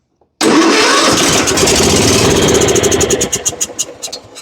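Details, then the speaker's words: John Deere riding mower, Kohler Command engine, turns over but won't start: fires on a shot of brake cleaner, runs rough a few seconds, then sputters and dies; a fuel problem, with the anti-backfire solenoid found stuck from bad gas. "Runs and dies. So we either got a carburetor issue or a fuel issue."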